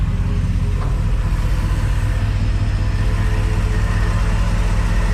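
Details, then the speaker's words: Crusader engine idling in gear after the injectors were rebuilt and tested and the fuel rails cleaned; it runs much better, with a deep, steady low rumble, even beat and no misfire or knock. Vacuum now 15, was about 12 before. Normal idle in gear. "so there you go there we go running so much better"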